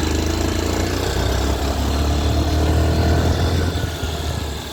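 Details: TVS Sport 110 motorcycle engine at idle: small single thumps with an uneven rattly edge over the beat; strange engine noise, cause unidentified.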